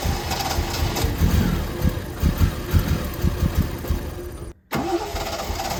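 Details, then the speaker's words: 1972 Triumph TR6 fed by an electric fuel pump straight to the carbs: heavy, uneven cranking at about two beats a second with a brief dropout, never firing. Cranks, no start; a float needle stuck and starving a carb is suspected. "have the feeling that one of the carbs the needle is stuck on the float and it's just starving"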